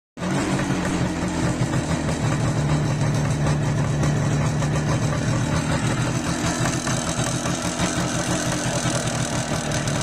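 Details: IZh Jupiter 5 (350) two-stroke motorcycle starting and running: a fast, even metallic ringing knock rides over the exhaust beat, described as piston knock.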